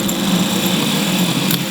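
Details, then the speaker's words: MG starter motor under diagnosis: the Bendix snaps out, then the motor turns sluggishly with a low electric hum and no spin-up; slow starter motor cranking, possibly the solenoid or the starter motor itself. "you can hear it it's not not making a good noise you can see that Bendix snap out and then start to turn"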